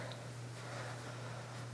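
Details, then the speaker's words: 1982 Casablanca Century 9000 ceiling fan, near-mint with good bearings and spiral downrod, started on low speed: low steady motor hum, no ticking, scraping or wobble; running smoothly. "So we will start this fan on low speed. This fan is in very nice condition."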